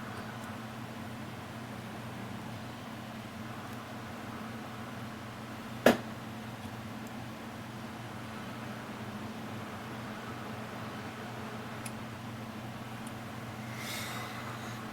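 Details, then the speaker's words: Koolance TMS-200 fan/pump controller after the cold-boot beep fix, testing fan and pump headers: soft steady fan whir with only a couple of faint relay clicks and no beeps; controller driving fans normally. "So I'm going to run some tests on it, make sure all the fan headers work and the pump header, and you can see it works perfectly fine, no beeping."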